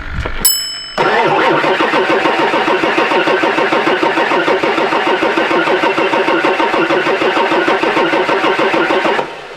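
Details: 1999 Ford F-450 7.3 Powerstroke diesel that sat for years: even starter cranking about three turns a second for eight seconds, no firing; low injection control pressure, no tach signal, crank sensor suspected.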